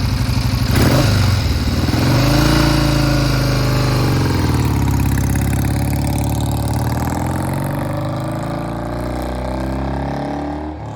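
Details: 1971 Triumph T120 650 twin after pilot jet and adjuster work, previously left cylinder cutting in and out: strong even twin beat easing back to a steady idle after a blip, both cylinders firing cleanly; runs well.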